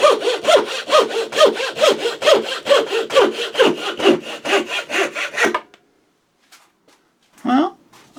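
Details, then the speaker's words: Thin turning saw blade after sharpening, making curve cuts, slight vibration noted, blade needing lower support: even rhythmic rasping about two strokes a second, clean and consistent; sharp saw cutting normally. "That did a pretty good job at that. Let's just try one more."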